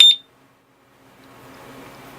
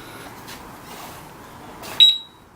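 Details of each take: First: Urban UR6 alarm disc lock on a Victory Empulse TT electric motorcycle: one short sharp high-pitched beep when the arm button is pressed, starting the 10-second arming countdown; normal arming beep. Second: Urban UR6 alarm disc lock on a Victory Empulse TT motorcycle, armed: short high warning chirps about once a second as bike is moved, then loud continuous warbling siren; alarm triggering normally.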